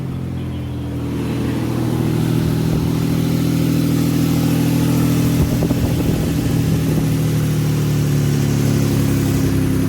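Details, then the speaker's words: Nissan Tiida alternator conversion (fitted to the Laurel), after wiring the RB plug: battery light off, engine staying on with idle increase; smooth, even idle, steady low drone, no knocks, misses or charging whine — normal idle. "Alright. So she's staying on. And the idle increase there."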